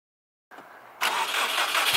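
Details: Subaru STI, about 400hp on E85, starting after replacing a dead fuel pump with a Walbro 450, jump box used; brief crank then fires and settles into steady, even run, normal start.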